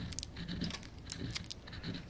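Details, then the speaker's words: Stepperonline CL57Y-24HE40 closed-loop stepper, power off, turned by hand: uneven scraping and gritty clicks against unusually heavy detent steps; mechanical rubbing possibly near encoder mount; motor missing steps under rapid acceleration. "so if i turn the power off i've never felt a stepper that has i can't even turn it that has this kind of detail hear that grindy noise"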